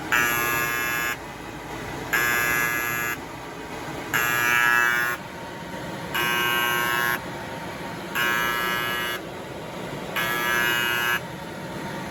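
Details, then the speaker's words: Kyungdong Navien agricultural dryer, E-1 overheat: buzzer repeats about one second on, one second off; sensor is fine, the bimetal temperature safety switch tripped, cut power and won't reset by switching off and on. "이 가열되면은 이게 안전 스위치가 이게 작동이 됐다는 거야 지금."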